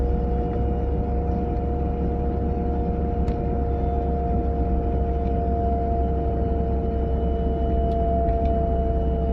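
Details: A 940 at about 30 to 40 mph: two constant high tones ring over steady road rumble, a whine from the passenger side with its source unidentified.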